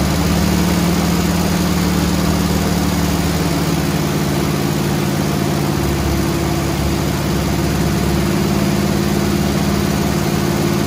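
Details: Squarebody Chevy C20 V8, flat-tappet lifters with little run time, rocker arms readjusted half a turn, held at fast idle to raise oil pressure and pump lifters up; light ticking following engine, softer than before; collapsed hydraulic lifters, judged not recovering.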